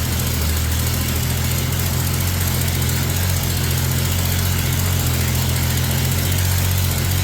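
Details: 1965 Mercury Comet Caliente, not run in 10 years, with a carburetor dripping fuel; low, heavy, lumpy idle from ignition timing too retarded.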